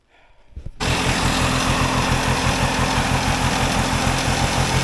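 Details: Polaris Colt vintage single-cylinder two-stroke race sled, needle clip lowered (needle raised) and tested at part throttle: catches and holds a rough, flat blat without picking up cleanly. Bogging rich; a 360 main jet was found and switched down.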